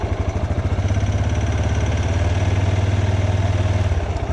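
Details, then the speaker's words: Older Yamaha Grizzly 600 quad just changed from 5W-40 to 15W-40 Rotella synthetic diesel oil, warming up: even, quick thumping idle around three beats a second, steady and quiet with no ticking or clatter. "sounds pretty quiet too which is nice again that 5w 40 though really held up it did the job no complaints at all with that oil"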